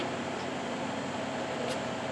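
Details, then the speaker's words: 2001 Cummins diesel with failed head gasket weeping coolant out the front, head bolts being cracked loose for gasket replacement: steady airy rhythmless hiss as a bolt loosens, air escaping around the head bolt; cause unclear. "well guys I lied this one freaking hiss too and uh this one is the one that I did just after I shut the camera off and it freaking dust cloud or rust came out of it so I decided I'd let it record while I crack these two"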